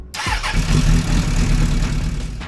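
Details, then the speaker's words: 1996 Suzuki Bandit GSF600S four-cylinder after carb rebuild with rejetting and idle fixes: cranks briefly, catches at once and settles into a steady, even idle; healthy start. "It starts up really great. I tried it the next day. It starts up just as well as it did right there. So it's running really nice."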